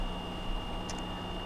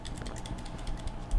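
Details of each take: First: Frigidaire PLHS37EGSB1 refrigerator with the compressor not starting (evaporator fan running, not cooling), after fitting a hard start relay/overload kit: low steady hum with a faint constant tone and no clicking or cycling off; compressor now starts and runs normally. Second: Frigidaire PLHS37EGSB1 refrigerator, not cooling with the compressor not running: the start relay, separated from the overload, gives light plastic clicks and rattles when shaken, showing the relay is bad.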